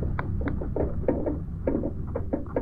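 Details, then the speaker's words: Yamaha NMAX 155 front end: dull irregular clunks about three per second each time the front is pushed down; owner unsure whether shock absorber (not leaking) or elsewhere, heading to dealer; worn front bearing knocking. "Nah rencananya ini saya mau ke dealer mau menanyakan kerusakannya itu di bagian apa karena di bagian ini bunyinya gini saya ulang lagi ya teman-teman"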